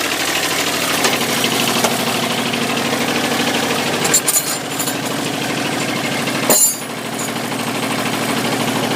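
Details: Dixie Chopper XWD 2600 diesel mower, about 1,700 hours, restarted after running out of fuel and bleeding the injector lines: steady, even diesel clatter at idle with brief handling noises; normal idle.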